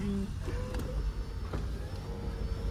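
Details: Nissan Exalta that had low power and sudden stalling, after distributor timing adjusted (delayed slightly); steady, even low rumble with no misses, knocks or surges, now running smoothly and healthy.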